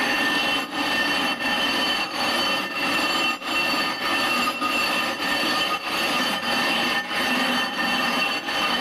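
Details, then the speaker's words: Rough grinding a 20-inch telescope mirror with #10 abrasive, pressing down as hard as possible early for maximum cutting: harsh, gritty back-and-forth scraping strokes at about 95 a minute. "I'm going to push down hard as hard as I can during the first couple of times and just to make sure I get as much cutting action as possible"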